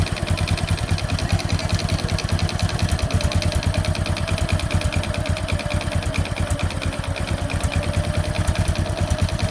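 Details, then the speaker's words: Honda Supra X 125 single-cylinder idle: rough, uneven beat around two pulses a second with some clatter; idle hard to hold, blamed on the carburetor, with worn piston rings letting oil into the combustion chamber. "Guys di sini terdapat permasalahan yang mana ransamnya susah kita spel dulu ini permasalahan untuk langsam ada di karburator"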